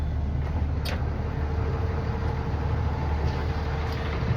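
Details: Freightliner bus idling with a steady, normal low engine rumble and no beeping after the passenger door alarm was fixed by releasing the red latch, reopening and properly closing the passenger door.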